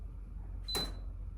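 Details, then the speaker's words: Maytag induction range cooktop (YMIR8890AS0), dead top, reassembled and powered on: dead quiet, then one short bright metallic ting when power is pressed and nothing after; the fuse blowing again. "Did you hear that ting noise? The fuse blew again."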